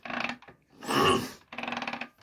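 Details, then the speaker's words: Triumph T140 Bonneville after Ark Racing electric starter kit install, engine turned over by hand with primary chain case refitted: short rasping scrape bursts, like the starter engaging when it shouldn't; cause unconfirmed. "There's a strange noise now when I turn the engine over."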